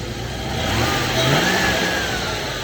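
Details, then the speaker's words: Range Rover Classic 3.9, engine checked while hunting an underbody noise: smooth V8 blip rising and falling cleanly with no knocks, rattles or misfires; engine sounds healthy, noise is from elsewhere, and a large oil leak was found underneath. "Okay, so the motor sounds fine. That does sound great. That was a healthy sounding 3.9."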